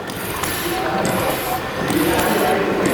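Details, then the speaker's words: Century-old gasworks steam engine slowed with the main valve; first-cylinder inlet valves respond to the regulator as its counterweight is pulled by hand; busy valve gear clatter ticking steadily about three beats a second; normal valve gear operation. "so volters used the main valve to slow down the machine to a speed where we could neatly see the first cylinder Inlet valves reacting to the regulator again watch and listen as volters pulls on the counterweight of the regulator simulating it coming into action"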